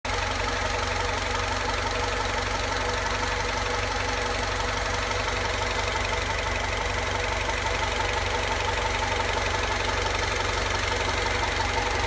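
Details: Idle recently became noisy: steady idle carries a light, fairly even tapping about three times a second over the engine hum; abnormal idle noise, source unclear.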